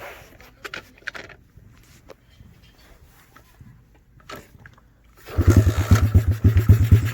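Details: Chinese Honda-clone dirt bike (Coolster 125cc or TaoTao DB24 110cc), about 18 months old, carbureted, fuel on: after quiet handling the engine fires and settles into a quick, even single-cylinder putter with no knocks or rattles; healthy running.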